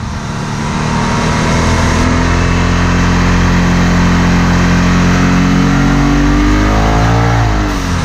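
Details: Vivid Racing blow-off valve, replacing the cracked plastic factory BOV on the charge pipe, on a road drive. The engine pulls hard under boost, then lets off with a falling note as the BOV vents normally.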